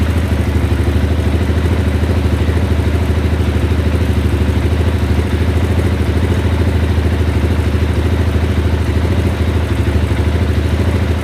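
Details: 2010 KTM 690 single-cylinder with a suspected bad fuel pump: steady thumping about three beats a second with a loose clatter on top; rough running.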